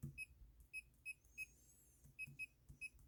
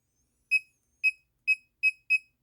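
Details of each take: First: Bluetooth laser projection keyboard during a typing test: nine crisp high beeps in four seconds, one per key press, ending in a louder knock. The feedback beeper is working as intended. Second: Laser projection keyboard, muted, backspace key held down: short high beeps about twice a second, five in a row, still sound despite mute; doesn't happen with single presses, cause unknown.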